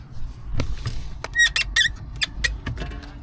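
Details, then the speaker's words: VW T4 clutch pedal squeaking for a couple of days: short sharp squeaks and dull clicks on each press, still squeaking after silicone/WD40 spray; owner suspects something cracked or broken at the pedal. "that's about already did a bit of a squeak yeah something's cracked there I think I think something's broken"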